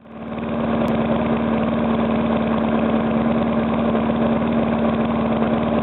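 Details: Briggs & Stratton single-cylinder on first start after rebuild; knock had come from compression leaking past the piston, fixed by rearranging rings and cleaning: picks up and settles into an even steady putter, no knocking; normal idle.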